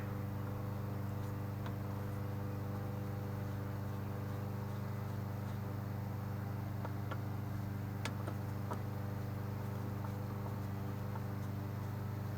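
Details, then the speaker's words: Husqvarna mower with a Kohler engine that the customer said wouldn't run: it is fired up and runs with a steady, even low drone beating about three and a half times a second, no misses. It runs normally. "That Husqvarna still seems to be running good. I don't know why it wouldn't run for the customer, but it seems to be fired up and running good."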